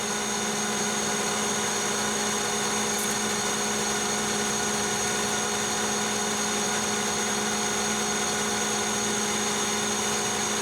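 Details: Lathe high-speed facing of hardest-state heat-treated 4140 chrome-moly steel, 0.010 depth of cut, after a scratched pass; even spindle hum, clean cutting tone, no chatter, near-mirror finish; clean facing cut.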